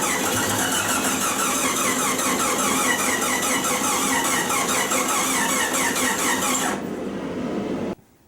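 Starter spins the engine at an even churning rhythm for about seven seconds, never catches, then cuts out: cranks but won't fire.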